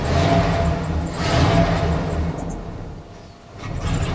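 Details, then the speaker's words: 1999 Dodge Ram Sport after sitting six years, running on its own; crank position sensor and oxygen sensor wiring to be checked: revs surge and sag unevenly, nearly stalling; rough running. "yeah this poor girl man she's a little rough she's running on her own"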